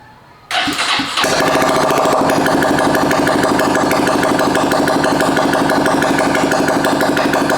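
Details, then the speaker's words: 2022 Honda Grom, just fitted with a PCX150 fuel injector and primed, running with no exhaust. Starter whirs briefly, then it catches at once and settles into a loud, steady, even open-pipe idle with no misses; normal start and idle. "turn it off and let it go one more time and actually let me open up the garage door i've got no exhaust so it's going to sound a little strange"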